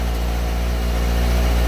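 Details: Motorcycle idling just after starting on a recharged, previously dead battery, engine very cold and sputtering a bit at first: a steady, even, low putter with no knocks, misses or surging; normal idle.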